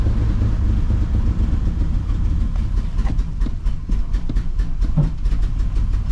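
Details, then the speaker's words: 2004 Ford Explorer after sitting a while, treated with Seafoam, running with no exhaust fitted: a deep, even, loud rumble with no knocks or misses; good oil pressure, temperature cool, engine healthy. "we got good oil [Music] pressure everything's good we got good oil pressure yeah the temp temp's cool she's at the sea for cool all right I forgot this thing's got no exhaust on it so it's not as loud as I think but still pretty loud"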